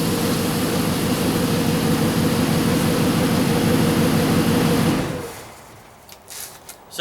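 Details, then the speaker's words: Dodge Hemi after camshaft position sensor replacement for hard starting/stalling and code P0340, codes now cleared: even, steady low rumble at idle with no misses or stumbles before shutting off; owner feels it runs smoother, only muffler/exhaust drone; normal idle. "I'm really feeling that it's running a little bit smoother before that could just be my imagination but uh yeah other than the muffler it sounded good so hopefully we'll be good to go"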